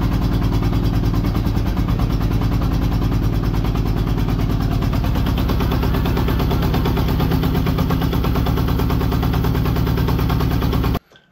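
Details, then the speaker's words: Honda Goldwing GL1200 flat-four after cylinder gasket oil leak repair and reassembly: lumpy, uneven idle with a loping beat and missing pulses; only two of four cylinders firing because a spark plug lead was disconnected. "So when I got the whole bike together, this is what it sounds like. It does eventually start. It doesn't sound great."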